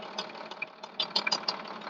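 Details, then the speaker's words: MTZ 1221 Belarus tractor diesel at idle: sharp, irregular metallic taps from the cylinder head area; knock persisted unchanged after injector replacement and repair, cause still unknown, owner said keep working. "Вот такая вот проблема в прошлом видео я рассказывал что поменяли форсунку свозили на ремонт проверили стук как был так и остался"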